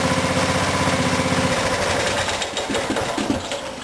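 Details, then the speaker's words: Craftsman riding mower after leaky fuel tank replaced: single-cylinder fires steadily at an even beat, note shifts as throttle changes, no misses; normal running. "I'm gonna roll around the yard a little bit just make sure everything's working"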